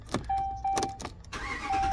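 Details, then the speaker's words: Dodge Ram no-start, codes B1A35 B1A0B, fixed by replacing the SKIM module and programming a new key: chime tones, then a quick crank that catches cleanly into a steady run, starting normally. "Ta-da! Yes, guys, it works."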